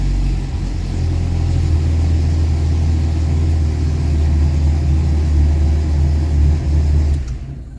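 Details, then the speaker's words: 1988 Jeep YJ four-cylinder, abandoned for years, with a newly fitted exhaust that has no tailpipe yet, just a turn-down end. A deep, even exhaust rumble holds steady about seven seconds before shutoff; normal running. "there that sounds a whole hell of a lot more reasonable"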